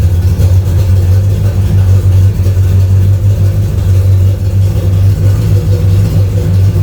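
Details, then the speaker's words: Camaro V8 after exhaust modification to remove drone: deep, even rumble holding steady with no booming drone or rattle; much quieter than before. "Oh, it's way quieter. Yeah, it is. Yeah, it's way quieter. Yeah. Oh, it's so much quieter. It's perfect."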